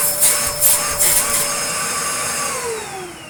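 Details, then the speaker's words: Restored Dyson DC02 De Stijl vacuum cleaner running with hose fitted: steady high whine over rushing air, vanishing when the inlet is blocked; the model's normal characteristic motor whine. "don't know what it is about DC02s, but they have a very specific sort of whine to them. Because yeah, you can hear it when it's on, but as soon as I've blocked the thing up, it doesn't do it."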